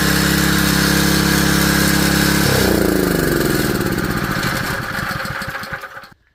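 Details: Junkyard Honda GX160 small single-cylinder engine with a rebuilt carburetor, started on choke and expected to smoke from residue: steady beat, then slows and dies out, running cleanly once the carburetor feeds it again. It filled with smoke.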